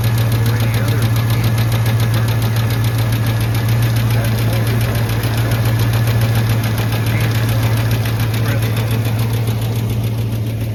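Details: Truck engine idling, oil pressure good cold but dropping once oil warms: steady low idle with a fast, even tick about three or four per second from the front; cause suspected, unconfirmed.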